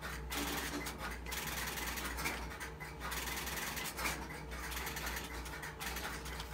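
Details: GTE/Automatic Electric 120B payphone on a ground start line, dial tone after coin deposit; rotary dial clicking and whirring back as a number is dialed, working normally.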